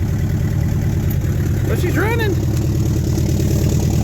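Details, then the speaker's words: 1972 Chevrolet Nova 307 V8 with TH350, first start after 35 years with points sanded and carburettor kit fitted: deep, lumpy, uneven idle with a skip, running on at least six cylinders. Exhaust leaks and a flat cam lobe are suspected. "of exhaust leaks i think sounds like a bulldozer or tractor oh she's chicky chicky chicky too you might have a flat lobe on a cam"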